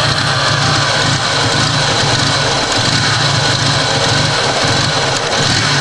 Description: i got it to idle but its very rough